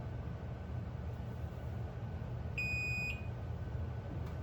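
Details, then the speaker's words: Chamberlain garage door opener giving one short, sharp high beep about half a second long over a low hum. It is the low backup battery warning; the fix is replacing the backup battery. "quanti di noi hanno sentito questo fastidioso segnale acustico proveniente dal nostro garage ma non hanno capito cosa stesse succedendo, se"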